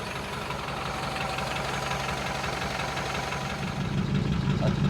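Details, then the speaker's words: 1947 Ford just started after 13–14 months on old gas, warming up: steady even idle with low smooth pulse, no knocks or misses; normal idle. "It doesn't smell awesome, but it's running. I think uh I'll let it just run and warm up for a little bit here."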